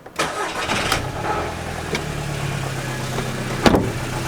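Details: VW Golf GTI started after a radiator replacement, oil change and coolant top-up; the plastic oil filter housing had leaked and was dried off. It catches quickly and settles into a steady, even idle with no ticks, squeals or rattles.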